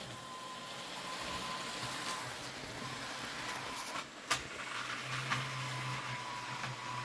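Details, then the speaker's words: Second-hand Kato N gauge CSX model locomotive running on track: thin steady high squeal over the small motor's whir; sounds like a dry motor needing oil; runs unhappily, nearly stalls, but good at slow speed. "There we go, he's off. Oh, listen to that squeal. Can you guys hear that? He is squealing. Sounds like he's got a dry motor."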